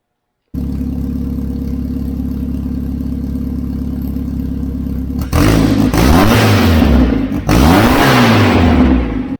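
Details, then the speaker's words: VW Beetle with temporary open exhaust and no mufflers gives a loud, raw note, steady then two rev blips. The engine runs consistently and the exhaust smells cleaner, less rich. "I might have got a little ambitious and said screw exhaust who needs Mufflers I mean this is just temporary so it's not blowing on the inside here"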